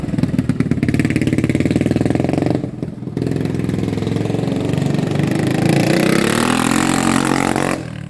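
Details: 1980 Honda XL250S single on a test ride, after the bad fuel was replaced: revs cleanly and pulls smoothly, with a brief pause for a gear change. Healthy under acceleration.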